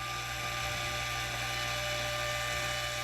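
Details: Fuel transfer pump feeding the day tank through dual filters on a 1969 trawler repowered with Cummins 6.7 engines; steady high electric whine over an even low hum, no surging, running normally.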